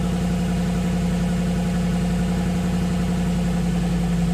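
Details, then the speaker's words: Ford Mustang on jack stands, first start since November after much repair work, fuel pump priming fuel pressure, neutral, no cooling or accessories fitted: steady, even idle with smooth low rumble, no knocks or misses; sounds healthy. "C freakin runs and she sounds good"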